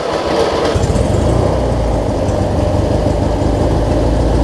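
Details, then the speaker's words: Craftsman rider with a Briggs & Stratton opposed twin, which was hard starting with about 20 seconds of cranking: after replacing the 3-screw fuel pump and adding a fuel filter, it restarts right away. A steady, even low rumble settles into a smooth idle with no misses; normal. "It started right back up on idle, so I mean... Good old Briggs, these opposed twins. I love them."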